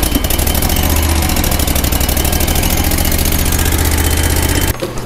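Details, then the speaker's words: Grasshopper zero-turn mower with a Kohler CH25S twin-cylinder engine after a rebuild: it starts easily and settles into a strong, even beat with no misses or knocks, with plenty of power on throttle-up. "now we start it up starts up good a little throttle bring these in we can move no problem"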